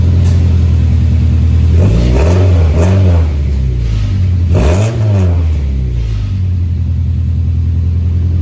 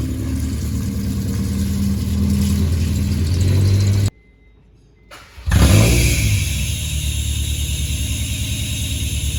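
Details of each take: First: 2001 Honda CR-V RD1 after welding the exhaust: deep, even exhaust drone swelling smoothly through two throttle blips and settling, no leaks or rattles; normal exhaust after repair. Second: 2001 Honda CR-V RD1 with exhaust pipe rusted out just in front of the muffler, to be fixed with a welded-in pipe section: loud, raspy engine note with deep throaty rumble at idle and revs after restart; exhaust leak.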